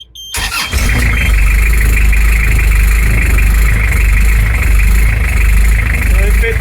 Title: Beta 50 first test rough idle and surging.